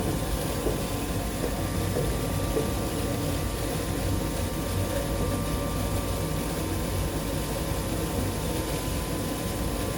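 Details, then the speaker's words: Heil ICP gas furnace, no-heat call, badly installed: draft inducer blower hums steadily with soft wet churning underneath; inducer housing full of water with no drain. "no drain on the bottom of this blower right here and it is full of water i can hear it"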